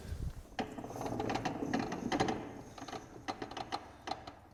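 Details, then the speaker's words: Used ATV parked for a rear-end problem, milky oil, rear end hand-spun and in gear: irregular clicks and rough grating about twice a second with uneven catches; the rear differential is bad. "That does sound pretty garbagey. Put it in gear. Yep, that's definitely not any good."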